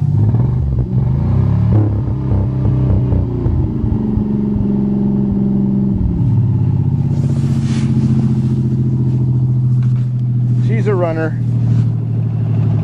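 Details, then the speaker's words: Cold winter start: lumpy, stumbling, uneven running from a dead cylinder with a spark plug wire off; runs perfect once reconnected. "runner sounds like a couple of cylinder wires came off better go"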